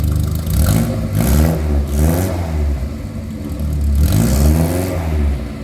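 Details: 1960 Morris Minor 1000, original 948 cc A-series inline-four petrol, fitted with a new exhaust system, blipped up and down; revs rise and fall cleanly with a smooth, steady exhaust note: healthy.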